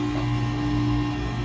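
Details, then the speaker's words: Stoelting machine with original 2013 AXVs (failing intermittently, leaking); compressor sound changed after adjustment to 20 psi, cylinder pulling down to 19 degrees; even, steady hum, no cycling or labouring; normal compressor running. "I adjusted this to 20 psi, and it's funny, you could hear the sound of the compressor change. You could hear it change. It's happy."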